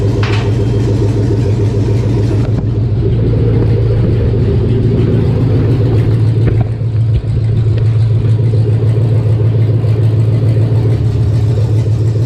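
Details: 1999 Chevy 5.3 V8 4WD junk donor pickup, unknown-condition engine started for testing: even, steady idle with brief speed dip, no knocks, misses or stumbles; runs healthy.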